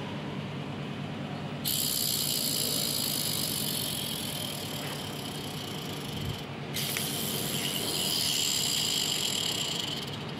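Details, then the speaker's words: Car clutch release bearing spun by hand off the vehicle: steady, rough, dry high hiss with a thin squeal; the bearing race is worn and the bearing needs replacing. "itu suara dari deaker yang kita putar dia berbunyi seperti itu kalau seperti itu otomatis harus dilakukan penggantian karena di bagian ini kaning sudah mulai kemakan"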